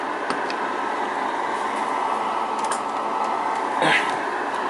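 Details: 138 XLR CB radio, all aluminum and tantalum caps replaced, channel hack removed, PLL traces resoldered, sideband OK; on AM transmit a steady raspy hiss with whistling feedback, no clean modulation; AM fault, owner suspects an adjustment.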